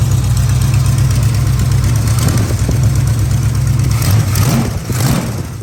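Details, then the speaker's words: 1969 Dodge Charger V8 idling after power steering repair: deep, steady lope with no whine, knock or squeal from the steering pump; only a tiny fluid dribble at the high-pressure line and slight squeal at full lock noted; normal idle. "Check it out. Everything seems to be working pretty good."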